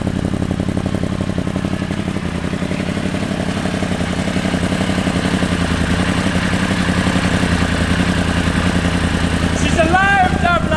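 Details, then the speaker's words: Yamaha R1 race bike at its first start after the engine was reinstalled with throttle bodies, run briefly without coolant and very smoky. Fast, even four-cylinder idle pulses hold steady with no ticking or knocking; the engine runs healthy. "She's alive! She's smoky. Very smoky. I think that is just all the crap."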